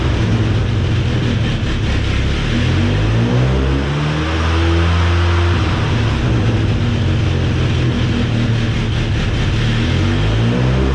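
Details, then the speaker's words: Cheap old Ford Ranger, fuel pump toggled to keep pressure low: engine note sags and wavers, nearly stalling whenever fuel pressure comes off zero psi; at least one injector stuck open, being freed. "you guys just watched me unstick some injectors at least one was stuck open i was in here watching that gauge every time i turned the pump on the engine wanted to die"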